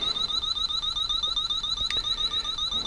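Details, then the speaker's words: Refrigerant leak sniffer held at the R-134a adapter of a Continental Mark III that sat 32 years: after picking up an oil spot, fast steady high chirping about four per second never stops, tip contaminated with oil and alarming continuously. "see it's picking that up see that this thing is neat [Music] but now it's got oil on the end of it and it won't shut up"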